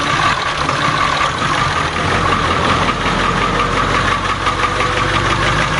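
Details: 7.3 diesel swapped in for a 6.9 IDI on a 1989 International S1600, cold start in 30s°F after glow plugs, fuel diesel mixed with ATF: steady even clatter at idle with a thin whistle on top; normal.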